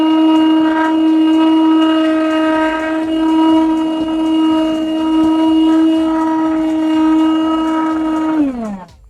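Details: Old DustBuster after replacing dead 12-cell NiCd pack with new 18650 pack, final test: smooth high motor whine holds one even pitch for eight seconds, then winds down at switch-off; healthy, normal motor run.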